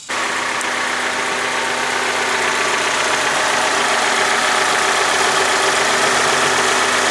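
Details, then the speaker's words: Honda Civic D16 petrol engine after a timing belt fix, previously misfiring on multiple cylinders at idle. Heard at the stock exhaust, it now idles smoothly with an even, steady rhythm and no puffs or stumbles. "But now this thing is sounding nice. I don't hear any"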